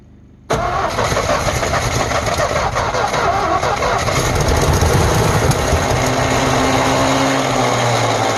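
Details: 1948 Ford F5 bus abandoned 25 years: long steady cranking churn about eight seconds, then a low rumble as the engine finally catches and runs smoky; owner suspects a weak battery. Long cranking before first start.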